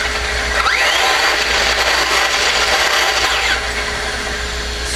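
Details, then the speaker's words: RC buggy running laps after temps were checked (206) and oil was added at the servo. A smooth, even high-pitched whir rises and falls as it passes, with no rattles or misses; quiet and healthy. "See if you can hear how quiet this car is."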